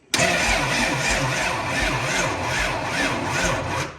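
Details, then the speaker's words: Home-built rear-wheel-drive Honda Civic race car (head studs, H-beam rods, ran 8.88s at 150 mph): the starter turns the engine over sluggishly, about three labored turns a second, without catching. The engine turns easily by hand; slow cranking. "That is slow. Very slow."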